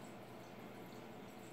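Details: Freshly filled custom PC water cooling loop (i9 9900K, twin GTX 1080 Ti, large radiator) running, no leaks; faint irregular gurgling and trickling in a quiet room as air pockets work through; air bubbles gurgling in cooling loop.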